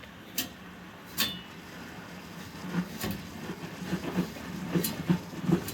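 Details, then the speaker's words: Electric steam boiler at about 6–7 psi with the return-line valve cracked open to purge water into a bucket: scattered sharp knocks and clicks as water surges back from the radiators; normal purge, nothing to worry about. "The sound of that knocking in this case is actually a good thing, because what it is doing is it means that water is traveling through the return lines, coming, all the pressure is being pushed back from the radiators."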